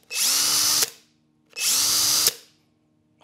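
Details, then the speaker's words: New Hercules HC92K1 brushed hammer drill on a 2.5 Ah battery, running unloaded for two short trigger pulls: a high whirring spin-up and coast-down, like an old RC car motor. Smooth and even despite a rattle heard when shaking the drill. "sounds like those old RC cars the motors"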